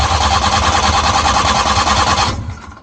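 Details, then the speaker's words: Suzuki Multicab cranks steadily at about three beats a second but never fires, even with choke applied and throttle pumped; won't start, spark and fuel supply to be checked next. "so ayaw talaga. So ayaw mag-start."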